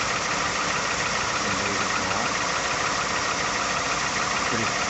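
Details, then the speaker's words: Third-gen Ford F150 5.0, 100k+ miles on original engine, cold start around 37°F after sitting outside: steady idle with a rough, regular knock about three per second; unchanged from before, no longer heard above 1200 rpm. "Still got the same knock. Honestly, sounds about the same."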